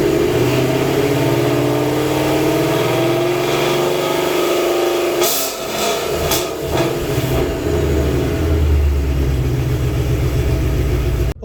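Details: White Vortech supercharged 2019 Mustang, exhaust damaged by a burble/decel-pop tune, now with an MBRP X-pipe: deep engine note rising and falling through a few blips, settling evenly with no rasp or rattle; normal healthy exhaust sound.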